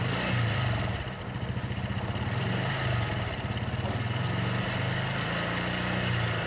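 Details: Honda Blade 125 fuel-injected with heavy oil seepage: rough idle with uneven, fast clattering over the engine note, harsh at the top end; cam chain rattle from a slack cam chain.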